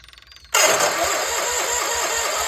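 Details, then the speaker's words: Case 1816C skid steer sitting 10+ years in a barn, battery charger on while cranking: starter catches at once and the engine settles into a steady, even run with no misses or knocks; runs better than expected. "Bang ran better than I expected now that this whole thing runs it's kind of exciting"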